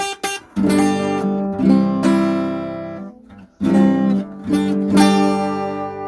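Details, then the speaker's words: Yamaha APX-T2 acoustic guitar, G chord strummed: rough, nasty fret buzz caused by divots worn in the frets, before a silver-solder fret fix. "uh sounds rather nasty and that's because of these divits in the Frets here"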